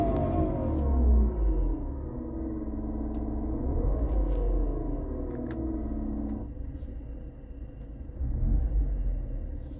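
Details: BMW E46 318i with AC just recharged with freon, vacuum test passed: engine running with droning hum whose pitch wavers and swells, then drops away, only with AC on; cause unknown.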